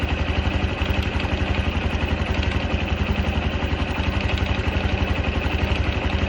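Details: Honda Cub 110 JA44 single-cylinder: fast, even clattering beat at idle, about four per second, over the small engine's putter; metallic rattle of unknown origin.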